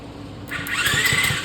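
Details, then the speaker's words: 49cc mini chopper engine kicked over with a finger over the spark plug hole, oil checked clean and full: a few quick, even, strong puffing pulses showing healthy compression, valves judged good. "compression is good I know since I've got compression and sucking my finger I know these valves are good right now"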